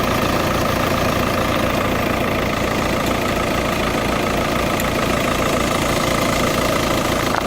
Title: Tdi ticking sound